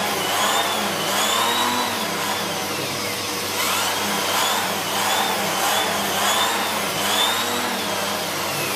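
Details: Siemens Z6.0 Power 2500W bagged cylinder vacuum with its mini turbo brush cleaning a chair. Steady high-pitched airflow roar swelling with each back-and-forth stroke; the brush keeps speed without bogging, normal operation.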